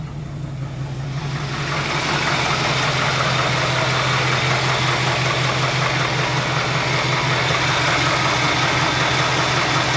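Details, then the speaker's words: 1966 Ford F100 with 1971 302 V8 idling after the worn harmonic balancer was replaced: steady dull clack low in the engine, about three a second, worse at low rpm, fading at higher rpm; cause unknown, flex plate bolts suspected. "I know it was clapped out because you see the rubber. Nope, still making the clacky noise."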